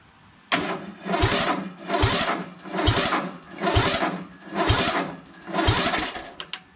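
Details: Craftsman LT1000 lawn tractor with rebuilt engine and new battery, first start attempt on choke: labored, slow cranking, heavy whump each turn, occasional pop showing ignition; suspected weak battery not turning it fast enough, jumper planned. Slow cranking, hard start.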